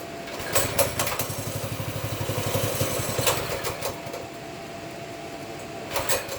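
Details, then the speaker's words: Baja Warrior 200cc single-cylinder, choke taken off after brief warm-up, throttle run by hand: small coughs into a ragged, uneven putter, then fades and dies; owner suspects out of gas, fuel below the pickup tube. "Is it out of gas? I don't know."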